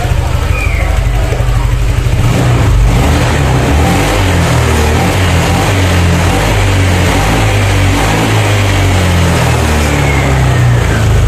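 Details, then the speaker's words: Honda Vario 150 scooter after fix of stutter and empty-throttle feel at mid and high rpm: revs up and settles back cleanly with no stutter or flat spot; upper-rpm pull back to normal. "Oke jadi untuk si Vario ini sudah kembali lagi normal untuk Rp matasnya tidak ada gejala merebet ataupun seperti gas kosong ya"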